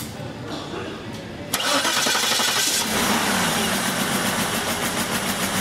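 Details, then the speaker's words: 2006 Cadillac DTS with a shorted 5V reference circuit: it cranks, catches, then runs with a very bad, rough, stumbling misfire at idle. It still runs because it has two separate 5V regulators. "we have a very bad misfire car the car does still run though is the point"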